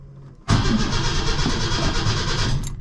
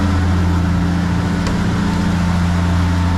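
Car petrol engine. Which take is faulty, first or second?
first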